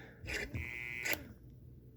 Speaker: Like that noise. That's when I'm switching directions or trying to go through the forward, reverse.